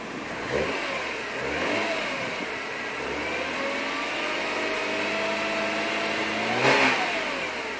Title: BMW E36 M3 Evo 3.2 Rough Idle Hunting Tickover